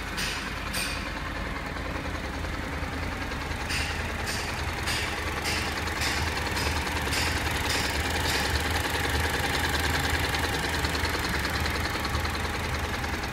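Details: Honda NC700X at full engine heat, idling: sharp irregular ticking rattle over steady rumble from the right side of the engine, only when hot; cause not yet pinned down.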